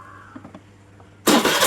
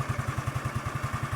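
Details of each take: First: Suzuki Let's scooter with a starting problem, original CDI replaced by a Suzuki Access CDI wired in: the starter catches and the engine fires at once, settling into a steady pulsing idle; starts normally. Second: Suzuki Lets scooter fitted with a Suzuki Access CDI wired direct to the starter: fast, even clatter about ten hits a second over the running engine as the starter gear engages while already turning; starter gear grinding.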